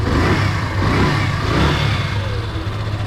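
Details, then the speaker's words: Yamaha FZ (16/2.0/3.0) with a strange engine noise, after reconnecting the magneto/stator and sensor wiring: steady low engine drone with gentle throttle blips, the previous noise now gone; running healthy. "Ahora sí vamos a conectar nuestro extractor y vamos a hacer una prueba a ver qué tal enciende si se fijan inclusive el ruido ya no está"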